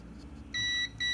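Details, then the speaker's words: Kärcher WD 1 vacuum cleaner that won't switch on, multimeter continuity test: two short high beeps across the lead show continuity; motor winding wire snapped at the terminal, breaking contact. "entonces prácticamente lo que tenemos aquí es que está reventado el cable está reventado el cable y por eso es que no está haciendo contacto"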